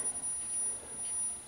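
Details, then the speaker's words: 1982 EPI Model 100 speaker on test with a signal generator, volume up: thin, steady, very high-pitched tone, clean and even with no buzz or rattle, tweeter reproducing high frequency properly while the woofer gives low frequency; normal tweeter output. "you can see we're getting low frequency I can feel the woofer there's very high frequency coming out of the Tweeter so"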